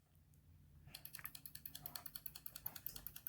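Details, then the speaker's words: Homemade ABS bleeder for a 1996 Land Rover Discovery: oscillator driving a flip-flop relay switch at 0.1 s on, 0.1 s off (50% duty cycle), light as test load: sharp evenly spaced clicks; relay switching normally. "uh every 0.1 seconds for 0.1 uh seconds on 0.1 seconds off so it's a what we call a 50% duty cycle and it should do it uh 9900 29 times in a row"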